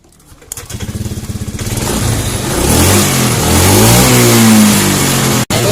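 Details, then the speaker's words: Fuel-injected Honda Scoopy scooter with hesitation on initial throttle: catches and revs but stumbles and chugs in pulses instead of pulling clean; TPS sensor is slid upward while running to find the right setting and bolt retightened. "masih berebut ya. Nih kita coba geser tarik ke atas sedikit nih."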